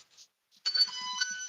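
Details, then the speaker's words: Circuit tracer on household outlets: after a pause a steady, clean high-pitched pure tone comes in and holds, showing a good connection; clear tracer tone. "Now we get a nice pure tone. You can see where we get all the bars."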